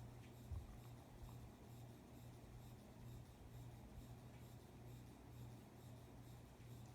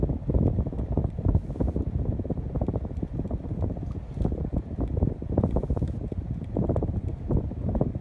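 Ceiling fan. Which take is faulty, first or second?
first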